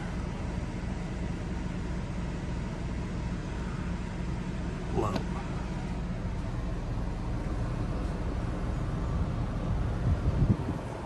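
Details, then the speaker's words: Truma Aventa roof air conditioner on a towable RV, fan on mid then low speed: a soft, steady low rumble of air, barely audible, with no rattles or whine; normal quiet operation. "Mid. Barely even hear it. And the low is really"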